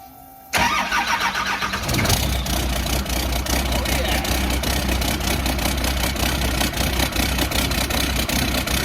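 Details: Humvee with swapped-in Cummins diesel, first fire on its new self-contained fuel cell and fuel pump after fitting a new transmission oil pan: brief crank, catches within two seconds, settles into a steady, even idle with no misses or knocks. Healthy start.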